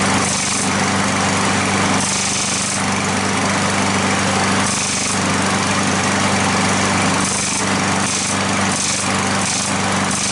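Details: Curbside lawn mower running: steady high-pitched drone with intermittent light ticking that appears when the handle is pushed down and stops when lifted; engine shifting on loose mounting bolts.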